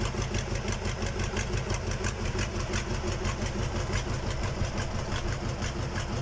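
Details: KamAZ diesel engine on its first start after a major overhaul: a steady idle with an even clatter of about three beats a second and no odd knocks or hunting. Normal idle.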